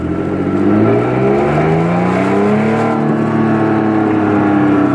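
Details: Lexus IS driven in manual mode, camera on dash in cabin: raspy, breathy exhaust note with air puffing out under load; all exhaust headers leaking after the fiberglass was removed.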